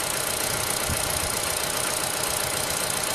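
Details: 2015 Chevy Cruze, 80k miles, new turbo fitted: uneven, stumbling idle with irregular shakes, running only on cylinders three and four with no spark on one and two; control signals present, aftermarket Dorman ignition coil suspected; misfire.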